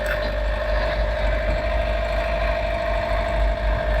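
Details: Sailboat diesel engine started after repeated engine failures, with fuel-tank contamination suspected and a treatment considered; steady low idle with an even, unbroken beat and constant hum, no faltering: normal idle.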